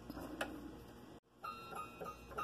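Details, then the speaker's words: Scroll saw cutting the outside of a lucet project: quiet, steady, clear ringing blade note with light even ticking and no rattle anywhere in the mechanism; blade properly tensioned. "blade's singing pretty nice note there it sounds good there's no rattle in it mechanism anywhere"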